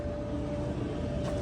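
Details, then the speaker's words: Whirlpool WED5100HW0 dryer after the blower wheel replacement: low, steady, quiet hum with no scraping, heating and running normally. "Nice and quiet now. Hopefully the washer is this quiet. Oh yeah, we got heat. She's running good and the light works."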